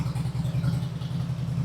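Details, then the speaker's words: Original-owner 1999 Harley-Davidson Road King, carbureted, which sat for years and came in not running: with a replacement carburetor it idles with a steady, lumpy, even lope and no knocks. It smokes heavily from the exhaust; stuck rings are possible. "Runs great. Just don't know why it's smoking. But this thing did sit for years and years and years and years and years and years and years."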